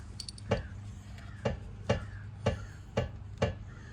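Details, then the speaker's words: 2005 Mercedes S500 4matic W220, front suspension worked by hand on a jack: sharp, hollow clunks about twice a second under load; worn lower and upper control arm bushings and worn ball joint found. "now that's some worn out lower control arm bushings. Now if you look at this one up here, the upper control arm bushing, that's a little worn out too."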